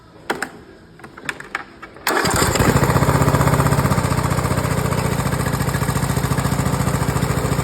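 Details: Briggs & Stratton OHV Intek mower engine, after replacing bad cam with compression release, crank seal and sump gasket (was hard to start and crank after valve adjustment): a few pulls, catches immediately, steady even single-cylinder beat; normal start and idle.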